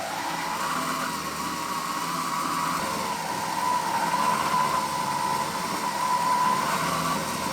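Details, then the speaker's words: Triton oscillating spindle and belt sander (TSPST450): motor whine sags in pitch midway then climbs back, not holding constant speed, losing power and stopping under any pressure; cause worn carbon brushes, fixed by replacing them. "i hope you managed to actually hear how the engine is working it's not keeping the constant speed it loses the power and it loses the speed"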